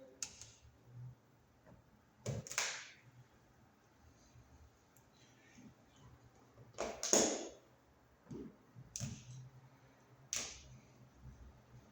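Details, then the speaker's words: Wall light switch maybe about 10 years old, judged broken: sparse sharp toggle clicks in a quiet room, some with a small extra click trailing the snap; abnormal, to be replaced with a quiet new switch. "now this switch is broken see it doesn't sound right here the here this extra little"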